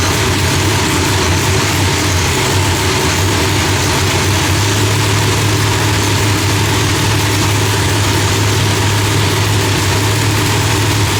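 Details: Loud, lumpy, heavy idle with a deep throb and strong hiss on top, running steadily and firing evenly without popping, after the distributor trigger was switched from rising to falling to stop fireballs; timing was about 6° off; new heads, idle still being tuned.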